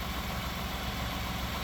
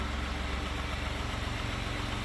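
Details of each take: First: 2018 Ford F-150 EcoBoost with low coolant, overheating and engine tapping, idling as it warms up after ATF treatment: smooth, even idle with no ticking or tapping, while cooling-system pressure slowly rises as it heats. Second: 2018 Ford F-150 EcoBoost with low coolant and overheating at idle: a faint, quick light tick creeps back in as the engine warms, blamed on badly broken-down oil about 10,000 miles overdue for a change; louder before.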